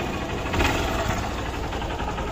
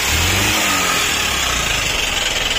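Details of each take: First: Hero CBZ Xtreme single cylinder, with the piston suspected about 90% seized. An even, steady idle with no knock or rattle standing out: the engine runs smoothly and sounds healthy. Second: Hero CBZ Xtreme motorcycle, ridden about 15 days then failed, no engine oil suspected: harsh rough clatter over a strained note at idle and revs, cutting out; piston likely seized, piston replacement planned.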